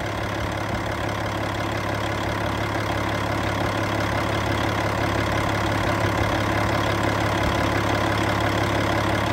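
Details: Cat C15 diesel, 900,206 km, 23,916 hours, running while checking blow-by: steady, even idle with a smooth low rumble and no knocks, misses or surging; healthy.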